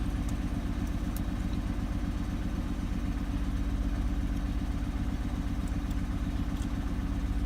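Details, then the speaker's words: Mercedes W124 petrol engine at idle with old Bosch coils: uneven, loping rough idle and shaking that started once the air pump shut off. The owner wondered about a vacuum leak, but the cause was the faulty engine wiring harness. "soon as the air pump shut off, the shaking started. Does that mean it's a vacuum leak?"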